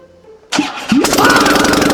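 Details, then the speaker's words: BMW E46 coupe bought as a no-start: starter whirs, engine catches after a second and revs up but sounds harsh and uneven; cause not determined. "Damn. It really sounded not so nice."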